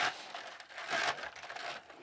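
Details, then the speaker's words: DIY yarn swift turning on loose marbles used as a bearing: a harsh, uneven clattering rattle that swells and fades as it turns, the marbles rolling and knocking in a metal plate; works but is very noisy. "I'm telling you it this little Contraption works but it's really noisy so if you live in an apartment maybe not a good idea very very noisy"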